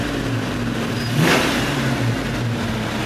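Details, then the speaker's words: 1992 Ford Mustang 5.0 V8, warmed up: even idle into one clean rev, smooth, no knock or misfire; cold starts show piston knocking that fades once warm. "So as soon as it warms up, it runs good like that."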